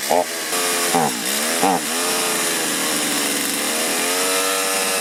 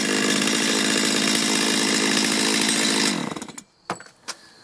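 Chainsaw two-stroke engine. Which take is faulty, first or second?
first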